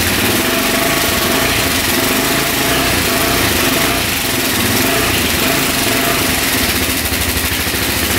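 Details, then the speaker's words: 2004 Suzuki LTZ400 quad, after carburetor cleaning, tank cleaned, fresh fuel: steady high idle on choke, a bit rough; idle turned up as throttle was slightly low; no smoke; no coolant, oil low. "it's running little pick up top just shuts off all right we're going to turn the idle up a little bit there we go it's iding good now throttle was just a little low"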